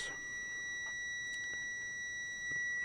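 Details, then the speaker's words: Multimeter on a 20-ohm resistance: a steady high continuous beep still signals continuity; the meter stops beeping at 30 ohms and reads over four ohms high. "Still beeping. 30 ohms. It stops beeping at 30 ohms."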